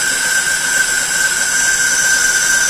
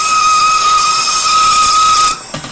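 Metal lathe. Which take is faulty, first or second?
second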